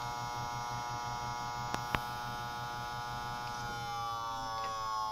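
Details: Desktop PC making a loud, constant high-pitched electrical buzz with a low hum and two sharp clicks; began about a month ago, after a power supply replacement 2 or 3 months ago. Stopping all fans changed nothing; it seems to come from the CPU area, and the PC freezes during loading.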